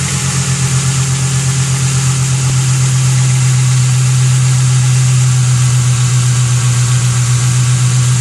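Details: Ford Thunderbird 4.6 V8 after sitting outside for five years; smooth, even idle with steady low rumble and regular firing pulses, no knocks or misses, running healthy.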